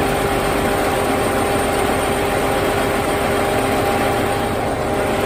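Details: Chrysler Sebring 2.7L after blown head gasket repair, engine reassembled and rechecked, sat 2.5 years: steady even idle, earlier metal-on-metal noise completely gone, still running a little rough. Normal idle.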